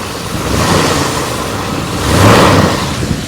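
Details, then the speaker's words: 1969 Chrysler Newport 383 Magnum V8 on road test after cleanout, new brakes and tires: even steady running, smooth rev rise, no vibration or knock; some smoke seen, possibly burn-off or valve cover leak. "listen to it though not vibrating anymore engine is just standing completely still"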